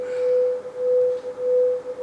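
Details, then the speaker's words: Repaired NUX Mod Core digital guitar pedal, formerly dead, first audio test: clean mid-pitched test tone swelling and dipping about every 0.6 seconds; the modulation effect is working properly. "that sounds like it's [Music] running don't know what effect I've got on I'm just but I can hear that changing speed"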